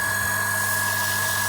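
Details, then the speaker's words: Gianz QB60 peripheral water pump on IBC container/rainwater tank, primed, hose open; steady even hum with constant high whine, no knocks, surges or rattles; pump running smoothly, no leaks. "Now we turn the pump on. I press the button, and there's the water. Unbelievable. Yeah, it's all working fine."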